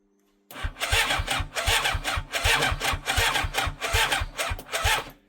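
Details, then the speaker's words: 1987 superbike abandoned 16 years, 8 outside, with 16-year-old fuel, choke pulled: starter turns the engine in even chuffs a bit over one per second for five seconds but it never catches; engine not seized, cranks but won't start. "Well, it turns over. That's a good sign, right? Means it's not seized."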